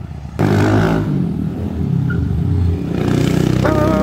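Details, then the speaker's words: Honda Fan 160 bored to 205cc, first street ride after engine build, untuned; single engine pulls up uneven and stumbling under throttle, beat breaking up, heavy misfire under load; owner says it must be tuned, cause unconfirmed. "Tem que regular essa moto não dá pr ficar acelerando muita fal pend no negócio aqui mano"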